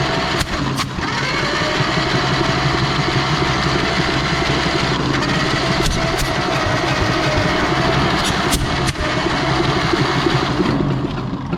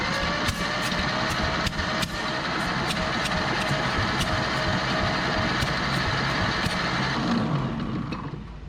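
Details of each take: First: Barn-find 1930/31 Ford Model A coupe, unused since 1964: the starter spins it fast and uneven without firing. Compression is nil or minimal on cylinders one and three, and a valve is stuck open; the intake is seen not moving. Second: Barn-find 1930/31 Ford Model A coupe, unused since 1964, checking compression on cylinders one and three: slow cranking with firm, fairly even compression thumps about three a second. Compression is now way better.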